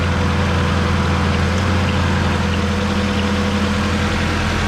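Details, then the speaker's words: 1988 Mazda 323 at idle with the AC on. The engine bogs slightly as the AC compressor engages and the second cooling fan switches on with it. Steady low idle with an even rush of fan air, no knocks or surging. Normal. "you'll be able to hear the the motor bog down a little bit cuz uh it's turning on the AC [Music] compressor and then now we have this fan also running so I think that's going to be enough to keep her cool I can feel a lot of air movement"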